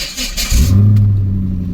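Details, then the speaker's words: C5 Corvette V8 after valve cover gasket work; it also overheats in traffic. A short whirring crank, then it catches into a deep rumble with a weird new noise on cranking, cause unknown. Abnormal noise on cranking. "And it's got this weird noise when you crank it now. So not quite sure what that is."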